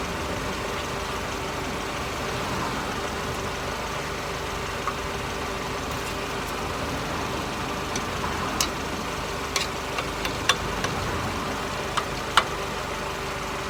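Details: Mercedes SLK R170 on stands, recorded under the car at steady idle. The old, rusty exhaust has a raspy, buzzy note with a few sharp ticks, and the owner also reports an occasional ting. A leak was suspected but none found; the central exhaust mount had failed.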